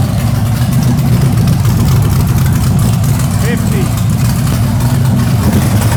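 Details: Freshly built LS1 V8 with Summit heads on a later fire-up attempt: deep, steady V8 rumble with an even beat and no misses or knocks; runs right; about 464 average on the following pull.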